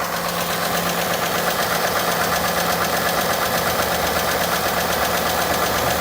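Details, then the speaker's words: 2018 Ford F150 4x4 V8 XLT bought as having engine issues, idling: steady sharp ticking about three taps a second; owner rules out high-pressure fuel pump, suspects top-end tick or injectors, unconfirmed. "You know, it's it's definitely not the high pressure fuel pump. Absolutely not. To me, it sounds like an upper end tick, like a top end."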